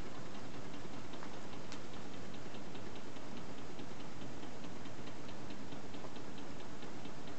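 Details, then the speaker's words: Homemade tin-can Stirling engine coasting down after the heat is removed: light regular ticking about five per second, slowing as it stops; owner suspects excess play where the connecting rod joins the pin. "I don't know if you can hear the Click Click clicker I think that's where the Conrad joins the pin I think there's a little bit of play in there just a little bit too much"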